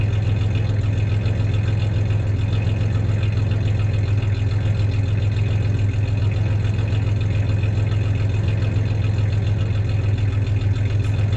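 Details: 1993 Ford Ranger 3.0 V6 at steady low idle, with a little rev, and a faint irregular stumble from a slight misfire, cause unknown; the clanking is the tie-downs in the bed, not the misfire.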